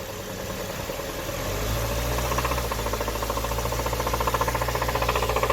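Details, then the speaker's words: 2013 Hyundai Sonata Theta 2 petrol engine, about 135k miles, P1326 code, idling with a steady deep metallic knock about four a second: rod knock traced to a worn number one cylinder rod bearing. "but number one that was the problem and that's where that knocking was you can take a listen to it right here"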